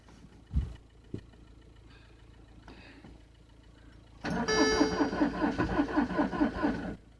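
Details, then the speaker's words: Frozen Citroen C5 diesel in winter, being jump-started with a weak battery and summer diesel in it. A few soft clicks, then about three seconds of cranking at roughly 2.5 turns per second with no start. "Now I think the ECU is fooling around because it's not enough energy. No start now."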